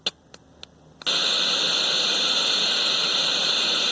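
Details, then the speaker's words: 1970s General Electric color TV model CYA7342, volume turned up while touching the test point before the IF stage near the suspected detector IC: a few sharp clicks, then loud steady hiss about three seconds; sound IF transformer faulty. "yeah it does you can hear it ever so slightly you're the static there you go"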